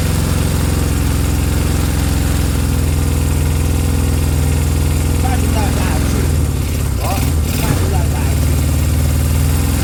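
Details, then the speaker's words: Honda CB200 twin at idle, now starting but running a little iffy: uneven, wavering beat that stumbles and dips intermittently; owner suspects the carbs need a good clean, cause not confirmed. "yeah so so now it will start but it's a little bit iffy isn't it maybe the need a good clean huh"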